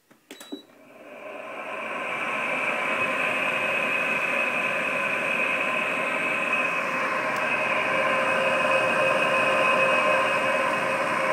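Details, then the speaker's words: 2003 Frigidaire Electrolux 5200 BTU air conditioner, powered on after storage and cleaning, before repair: a loud rough grinding whir with a shrill ringing edge; worn fan motor bearings, later replaced. "I'm pretty sure that's the sound of bearings so I'm going to take it apart and split the fan and see what I can do about those bearings"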